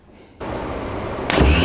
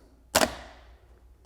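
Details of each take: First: Faulty remanufactured Autozone starter for a 1983 Porsche 944, bench-powered without powering the solenoid field: free-spinning whir rising sharply with no gear clunk; pinion not popping out. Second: Repaired AutoZone remanufactured starter for a 1983 Porsche 944, bench-testing the solenoid after reassembly (shifter fork suspected fault): two crisp metallic clacks about a second apart as the pinion throws out cleanly; working properly.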